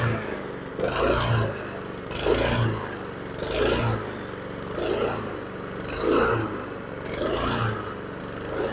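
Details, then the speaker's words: Husqvarna HU700F mower after a GVC 160 carburetor replacement, first start in 7 years: revs rise and fall about every 1.3 seconds, hunting and never holding steady. Owner suspects lack of fuel at start-up; cause unconfirmed. "it surged a little bit in the beginning there I'm thinking that was because it was lacking fuel"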